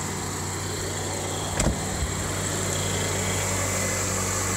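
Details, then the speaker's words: 1997 Subaru Impreza Outback Sport with reported overheating (possible head gasket), started after cleaning spark plug terminals: steady, even low hum with no knocks, ticks or misses; normal idle. "Oh yeah, that sounds good. Nothing wrong with the sound."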